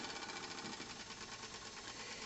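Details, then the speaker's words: Stephenson-link 1 cm3 twin-cylinder model steam engine for an RC live steamboat, tested on compressed air (about 500 g) after 20+ years shelved, running in reverse: fast, light, even chuffing with thin metallic sheet-metal vibration rattle, no knock; well adjusted. "Donc cette machine est bien réglée de base. Alors elle ne cogne pas parce que le bruit, bon bah c'est normal qu'il y ait un petit peu de bruit, c'est la vibration de la tôle, mais a priori j'entends pas de cognement."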